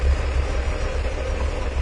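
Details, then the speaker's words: 1997 Mercury Villager, warm engine, long-standing rough idle and stalling: low, lumpy, slightly uneven idle; applying vacuum to the EGR valve causes no change, so the EGR valve is stuck open although the diaphragm still works. "This is going to be a stuck open EGR valve. The diaphragm still works, but the EGR valve is stuck open."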